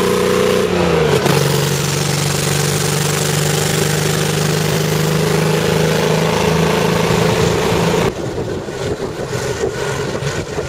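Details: Striker FV102 (CVR(T)) tank engine with a lumpy, uneven idle and dropped firing pulses; misfiring badly from a stuck valve, later fixed by fitting a replacement engine.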